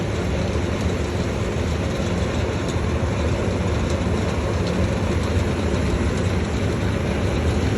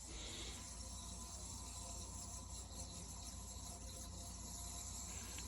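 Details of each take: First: Vintage early-1970s Berns Air King 23-pint R-12 dehumidifier running in a room at about 63 °F with its coil icing: a steady low drone with a constant buzzy rattle. The owner doubts the central fan motor is the source, so the loose part is unknown. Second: Vintage early-1970s Berns Air King 23-pint R-12 dehumidifier, coil iced, just after the compressor is switched off: a loud, steady, even hiss of refrigerant equalizing over a low hum. This is normal.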